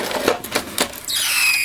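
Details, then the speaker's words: VCR loading a tape: a few clicks then a sustained high-pitched scream; tape not grabbed or wound through, loading mechanism binding, cause unknown. "Wow it's really screaming"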